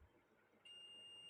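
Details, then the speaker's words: Electric stove repair, multimeter continuity test on thermostat: steady high beep starts and holds when thermostat switched on, contacts closing properly, thermostat good. "এই যে শব্দ তাহলে আমার থার্মোটেস্ট ওকে আছে"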